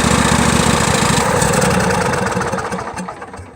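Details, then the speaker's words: John Deere L118, cold start before a new carburetor: uneven, lumpy chuffing as it catches, then it sags and dies. "Okay, that is a quick demonstration. This is what this thing always does."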